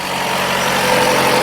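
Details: Chrysler 200, after coolant leak repair and refill, idling while checked for leaks: steady, even idle hum, smooth low drone, no knocks, ticks or misses; engine healthy, no leak found.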